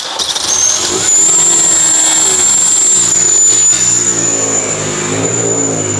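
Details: Mini Cooper S R53 with freshly rebuilt Eaton M45 supercharger, revving: thin steady high whistle holding through the rev, seeming to come from the front near the supercharger; suspected air leak, unconfirmed.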